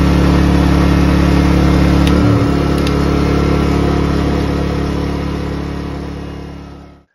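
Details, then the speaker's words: Ryobi RYi2300BT 2300W/1800W inverter generator that surged and ran rough at idle, after carburetor service, now under a load test: a steady, even hum with no hunting or surging, then it winds down and stops. Running smooth under load. "the generator is running really smooth that is music to my ears"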